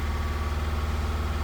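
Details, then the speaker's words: Holden Captiva 2.2 diesel that knocked, pinged and died after EGR replacement, then would not restart; restarted after bleeding air from the fuel. It idles low, lumpy and uneven, running rich and smoky while air clears. "If I could If I could show you guys what smoke looks like cuz a diesel's got to get all the air out. It will smoke. It will run rich."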